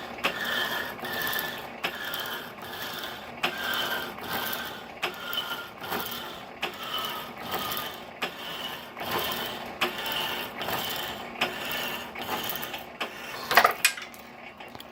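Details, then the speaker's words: 1916 Diamond Saw Works power hacksaw driven by a 103-year-old 1915 1/4hp Century RS motor: sharp regular clicks about every 0.8 s ride over the cutting stroke. They come from a worn pin bushing at the back of the saw frame. "I have to do some work to that clicking bushing back there in the back."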